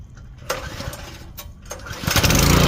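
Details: Ryobi 2900 PSI 2.5 GPM pressure washer tested after pump replacement: two sharp pull-start tugs, then it catches on the third and settles into an even, steady run with no misfire. A normal start and run.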